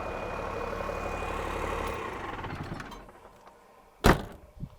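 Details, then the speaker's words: Cummins-engined Land Rover 130 diesel, warm after idling. Loud even clatter at steady idle dying away at shutdown; noisy, but sounds healthy. "Oof, she's noisy though, that's for sure."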